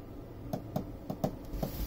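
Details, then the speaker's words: Chinese diesel heater pulse fuel pump in a Jayco Swan van, on lowest setting: soft quiet ticks three to four a second over faint hum; normal pump ticking, least noise. "works really quite well this is on the lowest setting so the least amount of noise from the pump"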